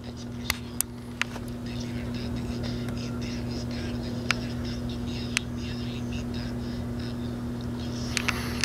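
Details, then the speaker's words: GE P977 AM/FM transistor radio, late 1960s–early 1970s, very quiet output: steady low mains hum with only a whisper of audio and faint clicks, same on AM and FM; failed filter capacitors. "It's a very low hum with just a whisper of sound. I'm on AM now, and it's the same thing."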